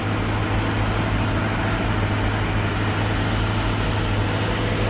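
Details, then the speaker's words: 1965 Mustang V8 on 650 CFM Street Avenger carb, cold and still warming up after a year unused: loud, steady raised idle with no dips; electronic choke suspected of not working correctly, not confirmed. "Now it's going to be a little bit higher idle because we're still letting it warm up."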